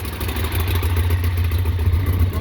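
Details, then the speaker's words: Stock-exhaust idle of a 2009 Ducati Monster 696 before a Two Brothers exhaust, K&N filter and Power Commander install: low, muffled, steady twin thrum with even pulse, no knocks or ticks; sounds good, like a quiet Ducati; normal idle. "Sounds good. Sounds like a quiet Ducati. That's about it."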